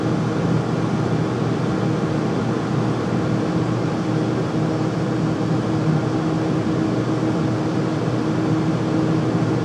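Constant heavy low roar with a steady hum and no knocking or rhythm; loud furnace running, source not identified. Cause suspected, not confirmed.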